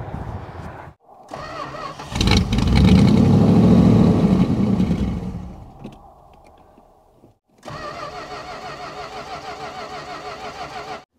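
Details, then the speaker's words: 1969 Chrysler Newport 383 Magnum V8, abandoned over 40 years, on road trip with plugged fuel filter replaced: starter churns about three beats per second, catches briefly, dies, cranks again without firing; crank no start from fuel starvation, out of gas. "go ahead and crank it all right stop huh I think we ran out of gas"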